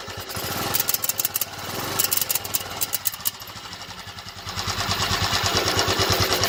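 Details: 2000 Royal Enfield 500cc Indian Bullet single, warm after about 8-10 minutes of riding, at low revs: a slow thump with uneven, tinny popping pulses that come and go. It is heard only when warm and at low rpm, sounding like misfires but tinny. The cause is unknown.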